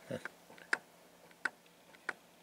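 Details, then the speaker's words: Polaris Ultra/XCR snowmobile triple carburetors being synced: slides flicked and dropped give one clean, faint click each drop; two or three clicks would mean out of sync, one click means slides synchronized. "do you hear that faint faintly as they hit the bottom if you hear two or three clicks that's not right when you hear one click"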